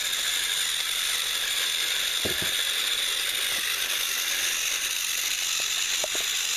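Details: Repaired TrackMaster Salty toy engine, once seized and only buzzing weakly, final track test pulling slide-door vans: steady high-pitched whir with a few faint clicks. The motor and gears turn evenly, a touch rough but working.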